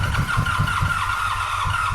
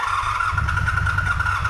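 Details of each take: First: 1985 Honda VF700 Interceptor V4, carburetors exposed and run on carb cleaner spray, oil pressure present: catches and fires evenly on all four cylinders for about two seconds before dying, with no nasty noises. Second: 1985 Honda VF700 Interceptor V4, bought last year and unrun for an unknown time, given a spritz of starting fluid: a steady starter whine over a few rough firing pulses, it catches briefly but will not keep running; owner suspects empty float bowls and gummed ethanol fuel.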